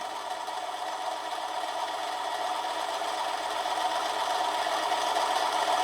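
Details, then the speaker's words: Manson lathe turning a brass test piece: steady motor whine with an even cutting hiss, motor pitch changing under a heavier cut but cutting normally. "putting on a bit of a heavier cut this time as you can hear the picture of the motor has changed but it's cutting all right"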